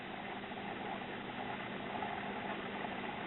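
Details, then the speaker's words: Caloric/Whirlpool stove clock timer motor, about 25 years old, after repair with the motor oiled: only a soft, steady low hum with no scraping or chatter, now running quietly. "there you go hopefully this will last the rest of my life and it will do so quietly"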